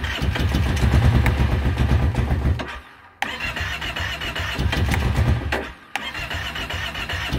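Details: 2012 Kawasaki Brute Force 650i with the choke closed. Steady starter churning at about two and a half beats a second; it cranks, pauses, cranks again and never fires.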